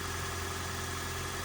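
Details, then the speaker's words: Toyota Corolla hybrid with 481,000 miles, sitting three weeks in about 19–26°F weather, still warming up on 0W oil: steady idle hum with a low drone and slight top-end clatter, no misses; normal age-worn noise. "all the gears appear to be in proper order engine sounds the same now it doesn't sound like a brand new engine but Toyota engines as they uh age they get noisy"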